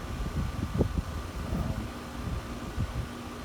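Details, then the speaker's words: AC condenser after the fan motor was replaced under warranty, previously run with no fan (high/low pressure switches fitted): a quiet, steady fan whoosh with an even hum and a few light knocks. The compressor sounds fine. "A little bit better than it. But sounds pretty quiet. I was worried that maybe running with no fan had tortured the compressor a little bit."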